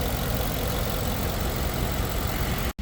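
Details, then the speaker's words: 2011 Ford F-150 5.0 V8 after a crank-no-start with misfire faults once started: idle now steady and even with no skips or stumbles, no longer missing; possibly trash was the cause, uncertain. "so I got in the truck to shut it off and now it's running pretty smooth so we probably had trash or I don't know but it's not missing anymore"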